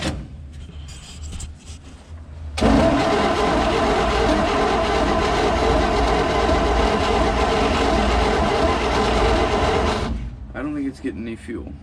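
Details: 1954 Chevy COE cab-over truck, custom shortened, barn find, cranking after a new fuel pump install: the starter churns steadily at about 2.5 turns per second for seven seconds without catching. Cranks but won't start; cause suspected, not confirmed.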